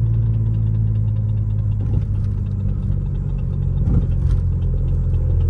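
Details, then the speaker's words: Mercedes W210 E320 automatic after new conductor plate, fluid, shift kit and gear selector, first drive after sitting a month: steady idle rumble with two sharp metallic clangs; clanging noise, stuck in first gear, cause unknown. "I hear something clanging clang and clang it is driving okay"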